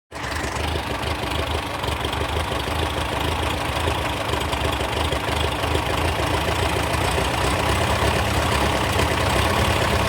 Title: TO35 No more loud ticking sound